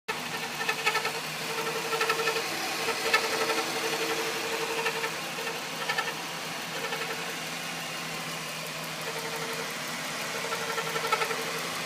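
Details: 2000 Ford Taurus 3.0 Vulcan V6 (VIN U), hot idle with a sharp chirp or scrape roughly every second, irregular; occurs only when hot and only at idle, not driving; cam synchronizer just replaced to rule it out; owner suspects transmission, source unclear.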